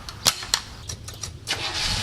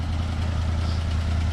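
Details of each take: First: 1967 Buick GS340 cold start after a water pump replacement and coolant flush: ragged pops and stumbles before it catches after two seconds, then a rough idle; faulty ignition points, with the remanufactured carburetor's idle circuit also not flowing correctly. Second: 1967 Buick GS340 after the water pump and points replacement and a cooling flush: a steady, even low idle with no misses, knocks or tapping. It is smoking less than before; normal idle.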